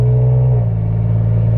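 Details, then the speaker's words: Toyota Tacoma cab at cruise after a broken C-pillar trim panel clip was replaced: steady low engine drone with exhaust sound and no buzz or rattle at the RPM where it used to occur; interior rattle fixed. "I think the answer is yes, because I do not hear it anymore, and I'm so glad I do not, and I can simply enjoy the exhaust sounds."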